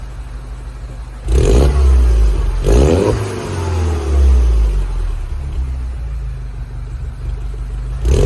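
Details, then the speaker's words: Mini R56 track car warming up after an exhaust repair that cured a blow at the front: deep, clean revs over a steady idle, no puffing or ticking, exhaust sealed and sound. "Start to run the engine up to temperature, help it harden off, and we should have a good sounding exhaust again. Right, that's it. The car's up and running. It's not blowing at the front now, so just going to warm it up a little bit, and we'll give it some licks."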